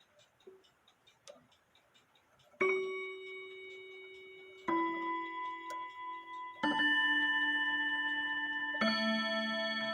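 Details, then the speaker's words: Chime rods on an 8-day shelf clock, struck after the hammers were bent away from them, now ring with four clear notes that sustain and fade cleanly with no buzz or clatter: healthy chime rod tone. "sounds a lot better right but this stick versus these wheels is a different story"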